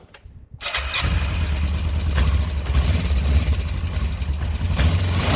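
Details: Kawasaki ER-5 twin after exhaust swap, refired to check sealing: quick crank, then steady even idle with no puffing or ticking at the joints, exhaust fully sealed; normal idle.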